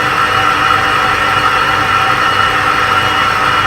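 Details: Clarkson tool and cutter grinder after teardown and overhaul to cure excessive noise: smooth, even whir with a steady high tone and no rumble or chatter; spindle bearings sound healthy, normal running.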